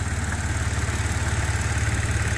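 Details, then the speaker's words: Audi A6 3.0T at idle right after an 034Motorsport high-pressure fuel pump piston upgrade: smooth, even low pulsing, no tapping or ticking and no leaks. Normal idle. "But so far so good, no leaks, no sounds. I've seen a few videos on these when people put this back together that it makes a loud tapping sound for a minute."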